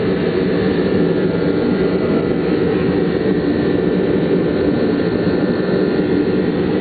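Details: Rebuilt Cub Cadet engine, pull-started after rebuild with pistons fitted: steady, even engine roar with no knocks or misses; running smoothly.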